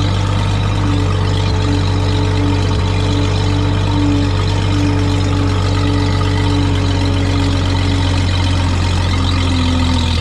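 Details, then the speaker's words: Old tractor idling at about 7:30 am: steady, smooth low-pitched idle with an even firing beat and no knocks or misses. An earlier slight miss and high idle cleared after running, possibly spark plug deposits. Normal idle. "yep cool smooth running tractor when I picked it up it had a little Miss and high idle"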